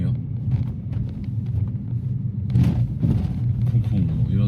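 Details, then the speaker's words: 2012 Kia Morning (bi-fuel LPG) with 170,000 km, driving over a speed bump: low road rumble, then sharp knocks and rattles from the ageing interior; expected rattles, cause not confirmed. "잡소리 다 들리죠? 당연히 잡소리가 들릴 수밖에 없습니다."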